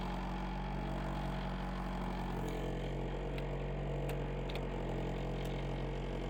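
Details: 1995 Honda Prelude Special Edition, fired up after sitting about an hour since it was last moved: a steady, even low hum at constant pitch with no knocks, ticks or misses. Normal healthy idle.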